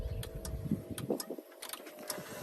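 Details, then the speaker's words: 2013 Freightliner Cascadia 125 day cab, Cummins ISX15 425 HP diesel: key-on injector priming, sharp fairly regular ticks several times a second over a quiet hum with ABS engaging, normal before start. "going to go ahead and do the quick initiation so you can hear all the injectors engage."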